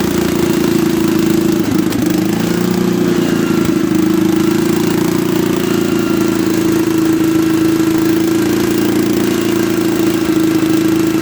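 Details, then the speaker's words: Late-1960s/early-1970s Bolens tractor pulled from a barn after sitting around 20 years, started with bypassed ignition: single cylinder chugs evenly with a steady droning note, no misses or knocks; running fine. "and he needs a car clean out a little bit but hey not that bad for uh i don't know jesus hadn't been sitting in there for 20 years"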